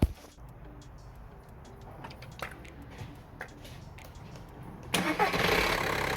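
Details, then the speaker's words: 2008 Skoda Octavia 2.0 TDI diesel after starter motor replacement: quiet, then sudden catch and the engine fires first try and settles into a steady run. "Well, there we have it, guys, all done and dusted, started up and everything, first time, boom, there we go."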